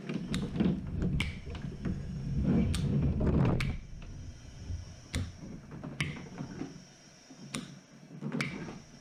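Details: Ambu-bag emergency ventilator prototype, solenoid valves set to about 4 psi: sharp clicks every second or two with short air hisses between, even timing; pressure starts at four, equalizes around 1–1.5, extra vented; cycling normally.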